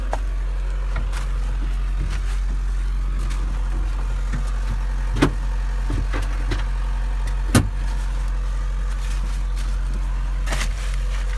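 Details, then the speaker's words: Hyundai 140 excavator, cold start at 22 degrees: started right up, deep steady diesel rumble at even idle, only a few handling knocks in background; healthy cold-start idle. "wow that sucker started right up holy cow wow Hyundai you got your crap together wow that thing didn't fusser anything"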